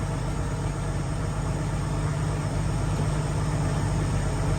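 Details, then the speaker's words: 1975 mail Jeep at idle: a deep, dull knock of a few beats per second; owner suspects a rod bearing. There was water in the oil, and oil pressure is below its earlier 40 psi. "Dang, that sure sounds like a rod. Sounds like a bearing. A rod"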